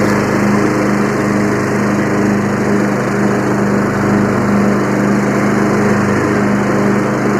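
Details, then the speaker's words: Free Yard Machines 20hp tractor with 42-inch deck, blades engaged: steady, even engine drone with a constant blade hum and no knocks or surging. It runs normally under deck load. "you know what's next after that we got to see if the blades work sounds like the blades work"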